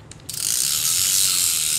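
Smooth, even ratcheting whirr once the handle turns, with no catching or grinding; the reel is cranking normally.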